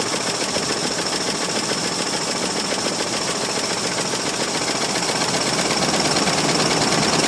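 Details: 1968 Mercury Monterey 390 FE two-barrel, cold start after sitting about 20 years, fuel poured into carburetor bowl: barely runs, rough and uneven with rapid clattering tap; suspected sticking valve; rough running.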